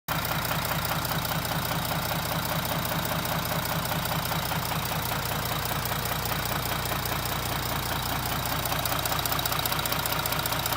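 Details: 2017 Audi Q7, bought four months earlier, idling with a steady, regular knock of about two to three beats a second.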